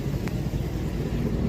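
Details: 2008 Chevrolet Avalanche after tightening the loose ground and securing the wiring for a P0690 code: steady low engine rumble with an even note and no misses or knocks under wind noise; the code has not returned. Normal running.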